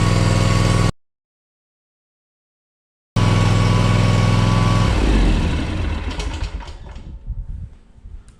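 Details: Ferris 400s mower with a Kawasaki FR651V engine, run after an oil change with 2.1 quarts of 10W40: it catches cleanly, holds an even, steady low beat, then winds down smoothly with no knocks or rattles. Healthy engine, no leaks.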